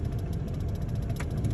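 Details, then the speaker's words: Chevy cat eye blower motor after cleaning: low steady fan rumble, earlier vibration gone, spinning smoothly and blowing much harder; normal blower operation after fix. "you don't hear the vibration no more it's pretty smooth and it's blowing a lot much more harder"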